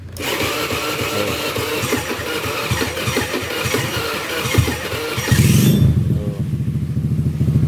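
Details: Honda Beat FI scooter: starter churns unevenly about five seconds before catching, yet kick-starting starts it immediately, and battery drains from repeated cranking.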